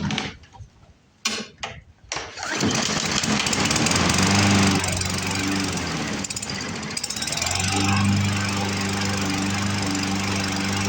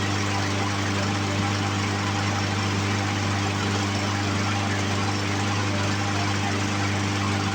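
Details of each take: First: Poulan Pro push mower with a Briggs & Stratton 550EX engine, before the carburetor repair: it runs on tank fuel after carb cleaner but skips and surges unevenly, won't prime, and the clogged carburetor needs to come apart. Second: Poulan Pro push mower with Briggs & Stratton 550EX engine, after carburetor cleaning: even, steady single-cylinder drone at one speed with no surging or sputter; carburetor issue fixed, running smoothly.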